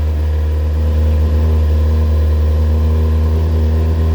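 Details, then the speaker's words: Kawasaki Ninja after rebuild, first start with airbox refitted and plugs cleaned, slight choke, still cold: smooth steady low idle about three pulses a second, no misses or rattles, no smoke, quieter than before without airbox; healthy. "lovely that sounds good sounds really good actually very nice and smooth no smoke oh yeah nice and quiet"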